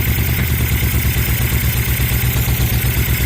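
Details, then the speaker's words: 2000 Suzuki VL1500 Intruder LC V-twin, sat 10 years, running after new battery, Seafoam and rebuilt carburetors: strong, even low thumping at a steady beat without stumbles or popping, no fuel spitting; normal idle. "I love it. She runs. No gas spitting out anywhere."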